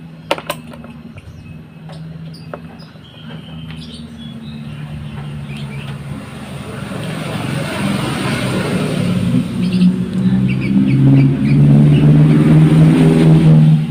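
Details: Honda Vario 125/150 scooter being checked for electric-start failure, battery reading 12.7–12.9 V with only a small voltage drop on cranking: quiet at first, then the starter spins briskly and the engine catches and settles to an even idle, a normal start.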